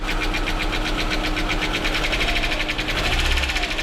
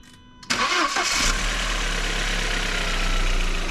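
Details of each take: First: VW Passat B5 1.8 turbo: fast, light tapping from the top of the engine (cylinder head) over a lumpy idle that swells and dips; camshaft knock, one or two cylinders not firing, a third cutting in and out. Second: VW Passat B5 1.8 turbo, after replacing a faulty ignition coil that caused a knock from the cylinder head: catches quickly and settles into a smooth, even idle, no ticking or stumbling.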